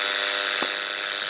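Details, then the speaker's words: Receiver picking up interference from a nearby modern FM radio tuned to 100 MHz, placed on the receiver antenna: loud hissing static with a faint steady buzz underneath. The buzz is QRM. "this buzzing you hear is my qrm but you can hear it and if i turn off the radio it's gone i turn it back on it's there again"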